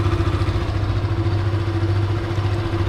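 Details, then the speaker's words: Yamaha FZ (FZ16/2.0/3.0) single-cylinder idling with the white stator charging wires unplugged, removing magnetic attraction at the clutch side; steady low thrum and hum, the rattling knock gone, returning when reconnected. "al yo quitarle la carga que nos va a mandar a la moto en la motocicleta va a dejar de ser atracción magnética en esta parte del del clutch y va a tener un sonido diferente"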